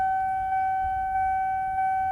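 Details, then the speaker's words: Fuel pump priming normally on a 1992 Lexus SC300 with fully built engine (CP pistons 10:1, CX Racing turbo, AEM V2, R154 transmission), 512 whp tuned on premium; steady high, thin whine holding one pitch. "Then the fuel pump stay prime for a little bit."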